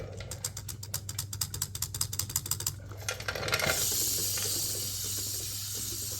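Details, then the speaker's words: BMW S1000RR with new Brembo floating front rotors installed, rotor rocked by hand: quick irregular metallic ticking of the buttons, normal float giving lots of play between pads. "aster it will spin with less resistance so it'll be much much better for riding"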